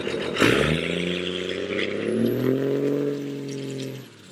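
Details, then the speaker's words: Cummins 24v diesel truck with Industrial Injection VP44 pump and 100 hp injectors, rough idle since the upgrade: revving while driving with a random uneven wandering pulse; engine lope, cause pump or injectors uncertain. "But you guys can see that the truck wants to like almost lope a little bit when it's driving, and it does it randomly."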